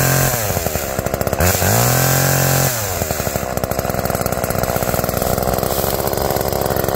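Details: Tuned-up Homelite two-stroke chainsaw cutting wood after cold start: crisp buzz revs up, dips briefly, holds steady under load; chain oiling well; owner notes slightly rich running, bogging in larger logs; normal cutting.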